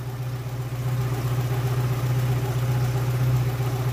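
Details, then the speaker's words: Old VW Polo engine warming up; steady low even idle with a soft pulse near four beats a second, no knocks or misses; healthy. "aber er klingt wieder richtig gut wie gesagt die einspielung wird erst ein paar mal ein paar tage durchlaufen werden jeden fall einmal warmlaufen lassen"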